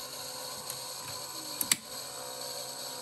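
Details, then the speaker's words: 1978 RCA VBT200, the first VHS VCR sold in the US, after its belt was put back on: quiet motor hum and a few light clicks as play engages, then steady running. Normal play engagement. "it's gonna work it'll keep playing for a while just like it's supposed to"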